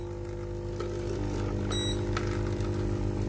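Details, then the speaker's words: Philips GC7051 steam iron opened, pump output hose held shut by finger during clean-key test: constant even buzz with a fine steady rattle, no sputtering or dry gurgle; pressure can't be blocked by hand, pump 100% normal, blockage suspected in hose or soleplate. "ถ้าใช้มือปิดอย่างนี้นะครับผมและปิดไม่อยู่นะครับผม100%นะครับผมปั๊มน้ำปกตินะครับในส่วนนี้นะครับ"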